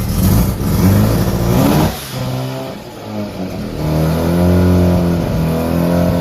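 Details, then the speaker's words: Resprayed rotary-engined car after sitting for some time, cold start on low battery power: fires quickly, revs up, dips, then settles into a rising even run; normal cold start. "And there we go. And that's your cold start."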